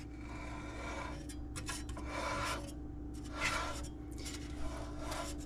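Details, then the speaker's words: 1969 Charger with a 440, fan rotated by hand before first start. Slow, irregular metallic rasping scrapes come with each turn. Owner believes a bolt tip is scraping the water pump snout, not the pulley; backing the bolts out is planned. "I believe that is the head or the tip of the bolt scraping against the snout of the water pump because they're not the water pump pulley is not hitting these bolts."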